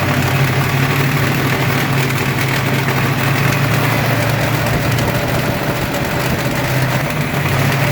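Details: Ford 302 5.0 V8 never run before, idling with a dense low rumble and a faint ticking clatter plus internal knock; noise persists with belts removed and pulling each plug wire changes nothing; owner suspects piston slap, broken wrist pin, timing chain or torque converter, unconfirmed.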